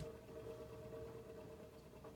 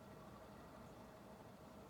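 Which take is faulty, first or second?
first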